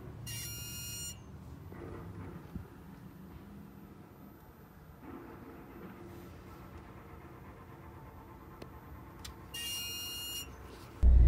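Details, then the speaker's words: Alfa Romeo Stelvio parked on the driveway after sitting a while: two sharp, high chirps about nine seconds apart, A/C compressor chirping; dealer could not find the fault on the first visit. "it was making this really bizarre noise when it was sitting on the driveway"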